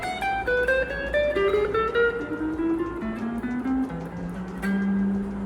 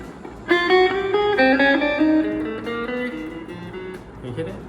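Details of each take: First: Suhr Strat copy after fret levelling during pro setup; plucked notes mostly clean but one note buzzes briefly; third-string saddle screw too short, needs a longer one to raise the string and clear the note. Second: Suhr Strat copy guitar after fret leveling during pro setup: several plucked notes ring clear and sustain evenly, no buzzing or choked notes; frets play clean.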